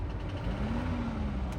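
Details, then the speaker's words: Volvo at auction, possibly just after a cold start: steady idle with a faint, quick light tapping or rattle riding over the engine note, hard to hear; engine tap at idle, cause unknown. "It sounds like it's got a tap or a rattle in it. And if you can hear that, I hope that's coming out. You guys hear that? It's hard to hear, but it's there."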